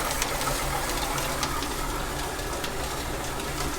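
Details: Minneapolis-Moline X231 prototype bolster casting line-boring setup, boring bar driven by shaft from an old flat-belt lathe chuck with belt dressing: even, unbroken whir with light random clicks, no knocking or surging; normal running.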